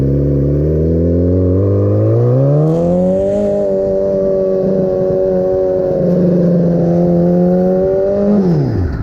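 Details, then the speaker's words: Turbocharged 300 hp Hayabusa-engined crosskart on a short test drive: revs cleanly in neutral, but at high revs under load the note wavers and breaks up before dropping off; cause not yet known. "it sounds good but when it's on a neutral aid their engine sounds good it revs good but when you drive it on the high revs it started like blah blah blah blah blah and I guess when there is a like load on it it starts doing no ice"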